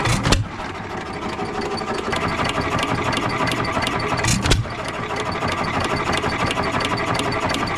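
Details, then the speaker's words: Economy 3 HP Model 3G engine, believed 1923, auction buy of unknown last run, just started: a couple of firing bangs over a steady run, smoking a little; owner unsure about connecting rod but no rod knock heard, normal running. "so she's running she's smoking a little bit I don't hear the connecting rod doesn't not sure if connecting rod is bling or not"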